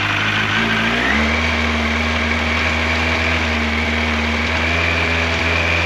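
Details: 1986 Yamaha FJ1200 with carburetors, first start in years, cold with choke full on. It catches, revs rise, then settles into an even, steady idle with no knocks or rattles. Engine sounds healthy.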